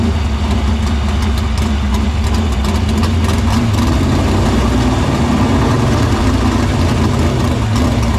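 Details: Dirt Silver Crown race car running in the shop after getting fuel through the main lines to the pump and barrel valve; deep, steady rumble at constant speed, no misses, knocks or surging; fuel system checked out good.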